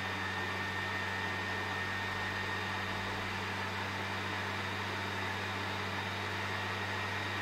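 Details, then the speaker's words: PS4 Pro CUH-7016B before cleaning, in multiplayer menu: loud jet-like fan roar with whine, about 60 dB; caused by dust on heatsink and dried thermal paste, after cleaning and repaste drops to 35 dB. "now as soon as you enter the multiplayer menu the fan starts spinning super fast reaching up to 60 decibel it almost sounds like a jet engine"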